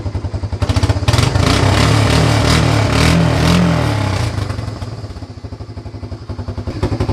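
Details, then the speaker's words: Honda Fourtrax 300 ATV after fixing the missing cable grip: firm, even thumping picks up cleanly through a couple of revs and settles to a steady idle. Normal running. "let's start this already let's do this there you go she's working"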